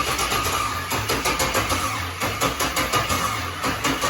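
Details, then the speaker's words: LS-swap engine (low 36,000-mile all-aluminium) in a 41-year-old car with adapted wiring harness; steady slow starter cranking about three turns a second, no firing, battery running out of voltage; crank sensor suspected, unconfirmed. "Stop. You're out of voltage now. Now it won't start."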